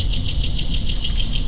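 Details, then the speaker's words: 2016 Nissan Rogue at about 30 mph, wheel-bearing test with a multi-channel sensor: even road rumble with only light brake hiss, no growl or hum; this bearing sounds normal, noise traced to another channel. "all right it seems fairly quiet there's a little bit of brake noise but not the kind of noise I'm getting let's go to channel 2."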